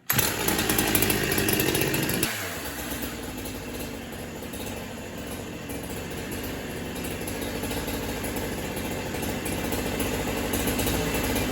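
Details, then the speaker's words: Holzfforma Farmertec 372 kit chainsaw, two-stroke, with a known problematic carb; sharp high buzz dropping to a rough, stumbling low idle, boggier than yesterday, owner suspects cold; low side needs adjustment: boggy low-speed running. "That carb needs to be adjusted on the low side. It wasn't as boggy yesterday."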